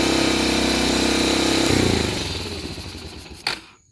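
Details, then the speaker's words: 1985 Honda Fourtrax TRX250, started after a couple of kicks: single cylinder runs fast and ragged without a steady idle, smoking a little, then sags and dies. "Yeah, it took a little bit bigger boot, so we got it running. Took a couple kicks. That wasn't idling."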